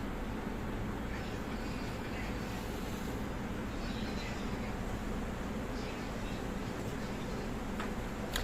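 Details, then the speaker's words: Inverter AC (Blue Star/Reconnect/Whirlpool, F1 error) after PCB repair with the resistance replaced: compressor starts with a smooth, constant low hum, no jerking, rattling or surging; normal compressor running. "இப்போ அந்த compressor noise பார்த்திங்கன்னா ஸ்மூத்தாக இருக்கணும். ஏன்னா அந்த resistance மாற்றியாச்சு."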